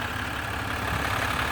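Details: Ram 1500 under the 'Service DEF System – Engine will not restart' warning, running after a temporary start by shorting two terminals. Even, settled diesel idle with a steady low throb and no knocks, misses or hunting.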